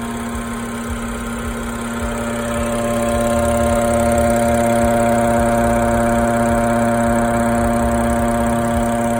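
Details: BMW F10 with N55 engine at idle: constant, even buzzing hum over the engine note, unchanging over time; source of the buzz unknown.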